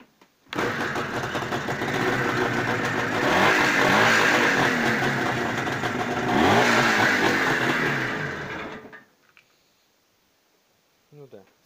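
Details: IZh Jupiter two-stroke twin motorcycle in cold weather after breaker points gap reset from 0.6 to 0.8 mm (fix for right cylinder sneezing): catches and runs with a raspy buzz, two throttle blips, then shuts off; running acceptably.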